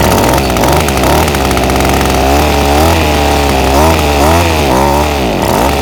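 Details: Ryobi SS30 30cc two-stroke trimmer, before carburetor low-jet adjustment: revs rise and sag unevenly, stumbling and bogging each time the throttle opens instead of climbing cleanly.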